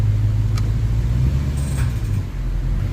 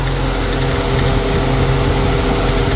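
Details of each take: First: Infiniti M45 (VK45DE V8) at idle after the drive belts were refitted over the pulleys: a quiet, smooth idle with no squeal, chirp or bearing whine. The cleaned pulley later got noisy once warm and was replaced with the Gates one. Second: Infiniti M45 VK45DE V8 at idle, second occurrence: loose, uneven clatter at engine speed from the idler pulley/tensioner. The pulley moves a lot and the noise stops when pressed; unclear whether the pulley or the tensioner is at fault.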